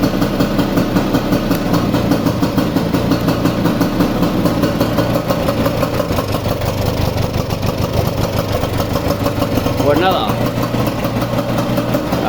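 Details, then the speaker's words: Vespa 150 two-stroke idling after repair of loud engine noise caused by a broken elastic (cush) pinion; even steady putter, no knocking or clatter: smooth healthy idle. "Es un reloj suizo."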